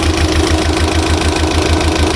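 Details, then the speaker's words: Mitsubishi Galant 4G63 on fresh start after revival: rough, lumpy idle with uneven low thumps about six a second, like a cylinder not firing; misfire (palyado), lifters also noisy and to be primed. "At least nakita nyo na siya umandar, kaya lang palyado."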